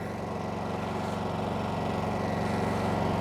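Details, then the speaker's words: New Honda EU2200i inverter generator in eco mode after start: quiet, smooth steady hum with an even low pulse and nothing uneven; idling normally in its low-speed economy setting. "Pretty quiet. I mean, even for me, I've never had a generator before, but I don't imagine you could build it much quieter than that."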